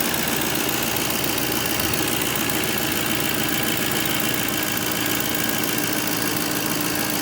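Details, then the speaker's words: 2007 GMC Sierra after a driveway oil pressure sensor replacement: the gauge no longer pegs to 80 at key-on and oil pressure reads normal. Steady, even idle with no knocks, ticks or surging; engine sounds healthy; no leaks seen. "So now let's jump over here. Everything sounds good."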